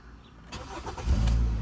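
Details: Car labelled a 2010 Nissan Versa but called a 2013 Hyundai Tucson in the talk: after refitting the three missing fuses, a short crank, then it catches and settles into a steady low idle within a second; starts cleanly now.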